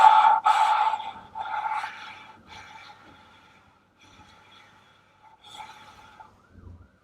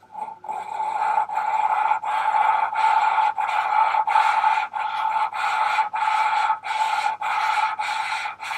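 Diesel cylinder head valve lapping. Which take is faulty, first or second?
first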